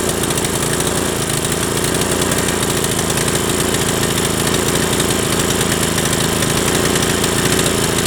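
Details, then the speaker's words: Briggs & Stratton 7.75 Ready Start mower engine whose governor tab had been bent; harsh, fast, flat-out roar never settling to idle: overspeeding because the governor inside is broken. "runs real crap you don't so we're gonna pull the motor off we're gonna pull the oil pan off and we're gonna look inside and you're gonna see that the governor is all busted inside"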